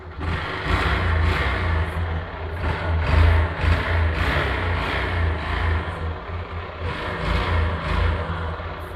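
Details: 2010 Honda Fan 125cc motorcycle, microphone near the exhaust: uneven, loosely repeating engine knock over the exhaust as revs rise and fall; source unclear.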